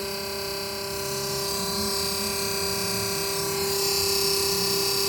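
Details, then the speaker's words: 12 V compressor retrofitted in place of the original 220 V unit in a mini fridge; cools well with good consumption, but runs with a steady droning hum and thin constant-pitch whine, loud enough to disturb sleep; owner unsure if normal (technician reportedly overcharged gas). "Mas eu acredito que esse barulho aqui, né, se for para passar a noite inteira, cara, vai incomodar um pouco para dormir."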